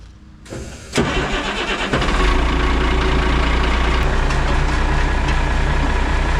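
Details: Semi truck diesel cold start after fixing the fuel shutoff. Brief crank, then the engine catches and settles into a steady, even idle with no knocks or misses. Normal cold start and idle.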